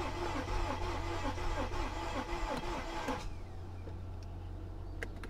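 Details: Mercedes S55 AMG, Copart car, cranking on a battery jump pack: steady cranking about three beats a second, never fires before stopping; no fuel delivery at the rail from a dead pump.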